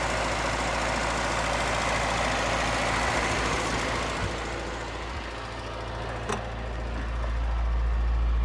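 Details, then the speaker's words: 1983 Toyota pickup at cold start idle: a constant light whirring rattle from a worn clutch throwout (release) bearing that goes away when the clutch pedal is depressed. "And you can hear that throwout bearing, because when I depress the clutch, it goes away. That's cold start."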